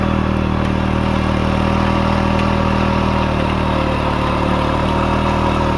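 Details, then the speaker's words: 1940s Simar two-wheel rotary tiller single-cylinder engine after restoration: starts easily and holds a steady, even beat with no stumbles, running smooth with good power; owner hears possible slight main bearing noise. "Starts very easy, engine runs very smooth, lots of power, I think. Runs good."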